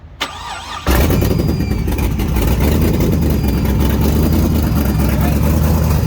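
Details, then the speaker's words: Carburetted race car (1MADSIG) started with no fuel pump: a short crank, then a loud, lumpy, uneven idle. Vacuum leaks were found under the carbs while float bowl heights were being set. "When I was doing that, it was whistling and stopping. So we're just going through setting all the float bowl heights on the carbs. We found that there was some vacuum leaks under the carbs"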